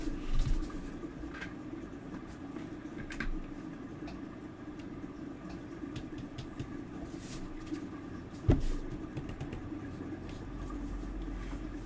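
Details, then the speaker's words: Apple HomePod reported to pop: a few sharp, loud pops through a low background hum, biggest near the end; speaker popping. "Wow. Okay, yep, that pops pretty loudly. Okay. They're not lying."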